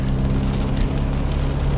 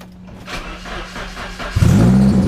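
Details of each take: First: Nissan S13 240SX convertible driving after fixing an exhaust leak and strapping down the battery; low, even rumble with no puffing or ticking, exhaust sounds sealed and quiet, though a small leak remains at the stock manifold joint. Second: S13 240SX convertible engine cranks, catches and idles loudly with a raspy, puffing exhaust note; exhaust leak at a joint missing a bolt, before repair with a new bolt and thread locker.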